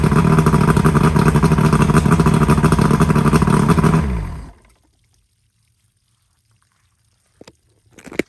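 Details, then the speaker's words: Johnson V4 120 outboard, 1995 or 1996, running again after a new power pack fixed a no-spark issue. A steady, even two-stroke buzz holds about four seconds, then it is shut off and spins down cleanly. Smoking noted, possibly from sitting. Normal running. "all right so there you have it uh it's running again so we got that um solved"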